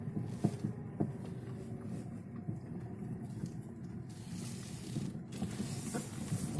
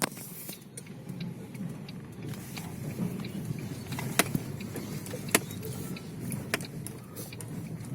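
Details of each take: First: Lada Vesta driven over uneven road: sharp irregular knocks from the front suspension over rough-road rumble; dealer diagnosed worn left anti-roll bar link and the anti-roll bar itself, both then replaced. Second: Lada Vesta driving on a badly broken road after dealer warranty replacement of the left stabilizer link and stabilizer bar: steady low rumble, only light cabin rattles, front suspension knocks gone.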